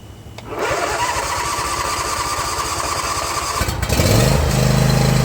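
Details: John Deere Z335E zero-turn, commercially used, after spindle replacement without removing the deck: engine catches and settles, then blades engage with a smooth steady hum rising in pitch; normal after repair.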